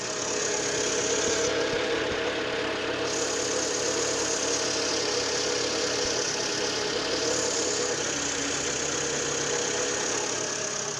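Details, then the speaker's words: Citroen Berlingo TU5JP4 petrol engine idling after oil and cartridge filter change: steady even hum and airy hiss, no knocks or misses; oil pressure light off, no leak at filter cap, all good. "Все, леечка не горит, давление масла есть. Теперь осматриваем корпус масляного фильтра, чтобы из-под крышки не выдавливало масло."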